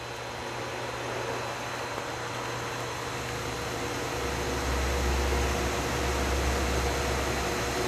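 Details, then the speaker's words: Pool pump after cleaning a clogged impeller, DE filter system: smooth, even motor hum with steady water rush, no gurgle or rattle, quieter, no air in the hair and lint strainer, filter pressure up 5 psi; running normally. "As you can see, we've gained 5 pounds of pressure. The pump is much quieter. There's no air in the hair and lint strainer, and we have a perfectly operating system."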